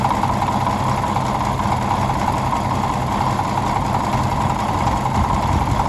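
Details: 1951 D8 2U dozer that sat in a barn since about 1990, big diesel motor running after first start; deep, steady chug at an even pace with no knocks or misses, running smoothly.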